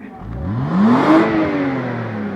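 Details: BMW 320i after a starter replacement, earlier no-start: engine catches and revs up smoothly, pitch rising then easing back evenly, no knocks or grinding; runs healthy.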